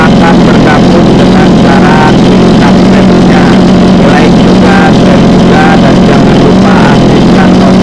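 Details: Mini water-pump engine, two-stroke on premixed gasoline, runs with a loud, steady buzz and even revs, no stumble or misfire, after repair; it had been hard-starting and racing from fuel starvation.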